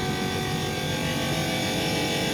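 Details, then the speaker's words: Indesit tumble dryer running gives a harsh, steady rasping whir; owner suspects something stuck in the fan wheel. "das hört sich auf jeden fall nicht gut an so darf sich ein trockner net anhören ja was ich vermute dass da irgendwas in einem lüfterrad steckt und dass er irgendwas kaputt ist"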